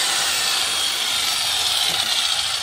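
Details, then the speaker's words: Brand-new Ryu RCS 185-1 circular saw cutting wood on first use after unboxing; steady high hiss of the blade through wood, not very loud, no knocking or grinding, cuts smooth and clean. "Suaranya nggak terlalu bising. Ini banyak kayu guys. Kita akan coba."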